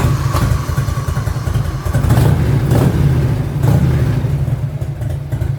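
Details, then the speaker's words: 1985 Harley-Davidson FLHT Evolution V-twin started right after oil and filter change, cap off to pump oil through: fires up to a steady loping idle with a few throttle blips, no knocks or clatter; healthy. "sounds like a happy motorcycle to me we're gonna have to run this thing for a minute"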